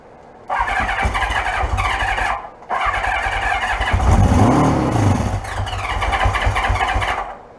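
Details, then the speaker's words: 1976 Honda CB550 with compression, started by jumping solenoid on starting fluid: starter spins, engine catches with rough uneven firing for a couple of seconds then dies. "about all it's going to get off of the starting fluid but I know it runs I know that it fires"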